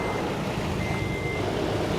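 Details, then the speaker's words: Toyota Tacoma TRD 4.0 V6 after a jump start from a Subaru Outback with jumper cables, battery fully drained by ignition left on: started right up, steady even idle hum with cab chime beeping; normal idle. "all right guys so here we go the the tacoma started right up because this battery is a pretty good battery it's not that old"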